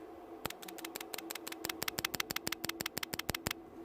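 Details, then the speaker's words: Relay from a 2008 Ford Fiesta 1.4 TDCi with flashing gear/cog warning light, bench-tested with 12 volts from a power supply: crisp, dry clicks in a quick string; relay switching correctly. "let's going to apply voltage to this relay just make sure the relay is working you're going to be able to hear the click 12 volts"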